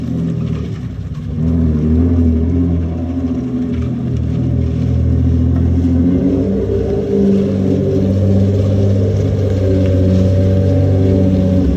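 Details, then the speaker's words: Lexus SC300, bought for $600, pulling away after resonator refitted with welded stainless pipe: deep even drone builds smoothly, no knocks or rattles; still loud exhaust, engine fine. "it's all welded up now it's on there still loud you guys heard a little bit when I rolled around the lot but what you guys heard before was actual car it was no resonator so a lot louder it sounds more tamed"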